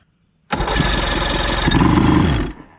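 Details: 1977 Johnson 115 outboard run out of the water after the bottom carburetor fuel line was tightened and choke linkage reconnected fires and runs about two seconds with uneven popping and stumbling, then cuts out; rough running after start.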